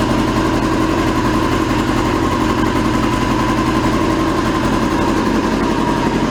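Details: 2002 Yamaha YZF R6 carbureted four, restarted after sitting 6 years, bad rusty gas previously cleaned from the tank: uneven, lumpy idle with an irregular beat, like a cylinder not firing; owner suspects a gummed carburetor or fouled plug.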